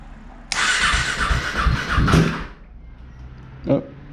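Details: KTM RC 390 / Duke 390 single after coolant change and after grounding the Power Commander, suspected cause of a no-start: starter whirs, then the engine fires with a loud burst and settles to a low idle; starts fine now.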